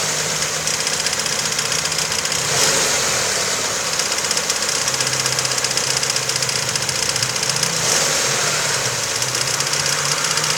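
A sharp, fairly quick knock of about four per second rides over a steady idle; a clear internal knock, source unknown.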